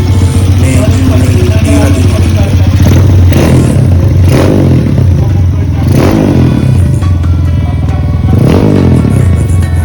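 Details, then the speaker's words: Kawasaki KLX 150 upgraded to 193cc (block and head fitted, 30mm SWR carburetor), after assembly: single rev rises crisply and drops cleanly back to a steady idle under loud background music; engine sounds healthy, normal running. "So ito na, no, napanda na natin. So ayan yung tunog niya. So iba din talaga ako sa akin KLX 150 na nakabora."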